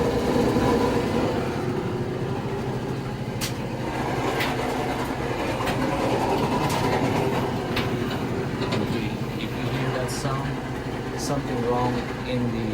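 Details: Samsung digital dryer with moisture sensor, drum turning before disassembly: steady low rumbling drone with a rough, scraping undertone, from a worn idler pulley bearing.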